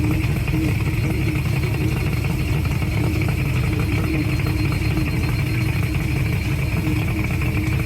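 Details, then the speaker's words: Mercury 2-stroke oil-injected outboard on water muffs after replacing the oil reservoir cap: steady warning beep over the running motor; low oil alarm, stopped after topping up the reservoir with 2-cycle oil and revving. "Still beeping. This is half a turn, so let's see if that's right."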